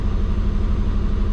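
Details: Warm, at operating temperature, the twin-turbo Subaru idles steady and even with a deep exhaust note at about 1400 rpm rather than about 600; the owner suspects the injectors, pulse width around 0.8. High idle speed.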